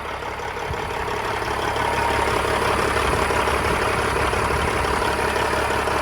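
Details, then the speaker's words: 1999 Freightliner FLD120, rebuilt pre-emission CAT 3406E, 13-speed, oil filler cap off to check blowby: steady, even diesel idle clatter at a low beat, no misses, knocks or hunting; blowby visible but minimal, engine sounds healthy. "very minimal for a cat which normally has visible blowby um quite a bit of it compared to well Cummins and cats seem to both have a lot of visible blowby so that's decent in my opinion looks good and it runs good"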